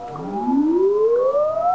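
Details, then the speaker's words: Yaesu FT-101ZD transceiver in tune mode on WWV at 10 MHz: a pure growling tone sweeps in pitch as the dial moves either side of the station, heterodyne beat from off-frequency tuning. "what we're going to do is tune either side of the station and you'll hear a growl"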